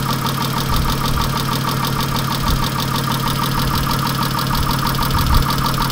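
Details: 1997 Chrysler Sebring engine at idle: rough clattery running with uneven, diesel-like knocking about three times a second over the engine drone; knocking noise, source not pinned down.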